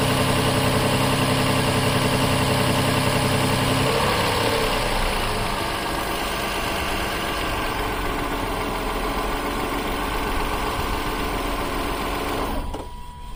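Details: 2007 Toyota Highlander Hybrid, key on without maintenance mode: petrol engine idles with a steady low hum about twelve seconds, then shuts off by itself; normal hybrid auto start-stop.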